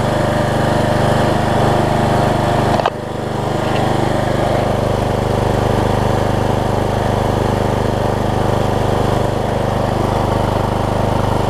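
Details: Troy-Bilt Bronco rider swapped from 20 hp Kohler Courage to 17.5 hp Briggs with new carburetor and retrofitted older Troy-Bilt muffler: brief blip then steady, even single-cylinder thump at constant speed, muffled exhaust, no rattle or miss; healthy.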